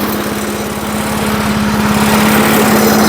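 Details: Vintage 1980s Firestone lawnmower revived after 20 years of sitting, running about 10 minutes after adding oil to the fuel: small single-cylinder firing in an even, steady patter with no misses, smoke clearing; runs healthy.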